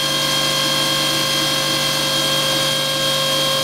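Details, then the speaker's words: Aeromotive brushless fuel pump on a test bench at about 13.5 V: a steady, even high-pitched whine that increases with voltage, with no wobble or surging. The internal controller manages pressure and volume, and operation is normal. "thirteen and a half you can hear the pump increase and again that all goes back to the internal controller that's managed the pressure and the volume"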